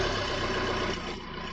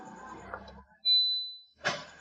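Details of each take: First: 2012 Maruti Suzuki Swift Dzire diesel VDI after replacing an ECM damaged by a short in the wiring or a sensor, which had stopped it starting: it starts and settles into a short, even diesel idle with a steady low rumble and no misses; normal idle. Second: 2012 Maruti Suzuki Swift Dzire diesel VDI that stopped while running: key-on chimes and clicks, starter cranks evenly but never fires, check engine light on, oil light absent; crank no start traced to faulty ECM wiring.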